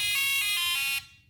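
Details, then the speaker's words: Texas Instruments MathMarvel educational calculator at power-on: bright, steady electronic tone for about a second then clean cutoff; normal start-up sound, with no option found to switch it off. "It's quite a noisy device this one. There's no option. At least I couldn't find to turn it the sound off which it can be a bit annoying."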